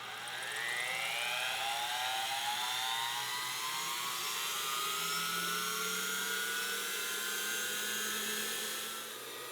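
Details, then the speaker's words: Lathe with grinding wheel just dressed, spun up: smooth whine climbing steadily in pitch, then holding a clean high scream with no rattle; healthy high-speed grinding spindle. "Hot damn, this thing is hauling ass. It's actually kind of startling."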